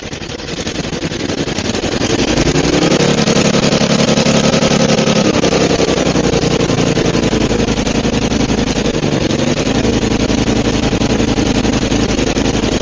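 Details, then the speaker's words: Murray 5 HP 24-inch snowblower, Tecumseh engine, first run after head gasket replacement and carb clean: fires and climbs to a screaming redline near runaway; overspeed from a too-tight governor spring, believed to have blown the head gasket. "Okay. Now I know why the head gasket blew. Because the governor spring is too tight, and this thing was just absolutely redlining. Like, it almost ran away right there."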